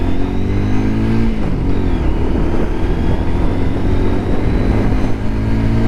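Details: Lexmoto LXR 125 at 1,000 miles after a modification: strong, steady engine drone rising and settling with throttle over road noise. The previous rattle, suspected in the exhaust baffles, is gone. Normal running under way.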